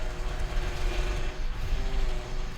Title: WHINING POWER STEERING NOISE FIX | Easy noisy steering wheel fix | CAR NOISES | EASY FIX POWER